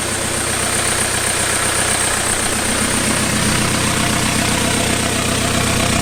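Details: 1991 Toyota pickup with swapped 1.9 L ALH TDI turbo diesel from a 2000 VW Jetta, first start; pump timing and IQ not yet adjusted. Even diesel clatter at steady idle, no misfire or stumble, speed constant; idling smoothly.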